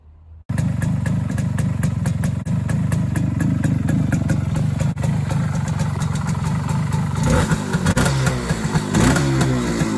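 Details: Suzuki K125 Type 4 two-stroke after muffler exhaust leak repair: a steady, even beat with a crisp exhaust note and a brief rev near the end; no puffing or leak, sounds healthy.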